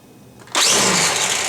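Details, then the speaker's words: Black & Decker cordless weed wacker after filing worn plastic on the trigger switch mechanism: motor snaps on and holds a strong, even high-pitched whir, no stutter; normal running with plenty of power. "all kinds of power there sounds like time to take it out and give it a ride"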